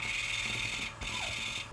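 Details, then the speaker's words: Lapping a valve by hand with a suction-cup tool on LS 317 cylinder heads: harsh gritty rasp in back-and-forth strokes about a second apart as fresh compound cuts the seat, quieting as it breaks down. "watch it'll get quieter because it's like sandpaper it's breaking down so when it's done and it's quiet you lift it up you do it again"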